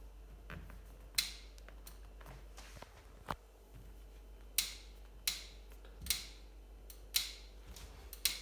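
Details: Cane Creek Thudbuster ST suspension seatpost: sharp dry clicks, about six in eight seconds, as the saddle is loaded; clicking also occurs while riding, especially under hard effort; owner suspects warranty defect.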